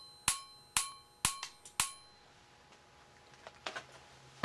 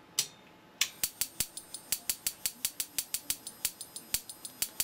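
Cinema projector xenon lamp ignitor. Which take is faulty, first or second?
second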